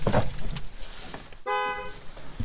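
A short, clean, steady horn note sounds for about half a second between quiet shop noise; the horn works properly.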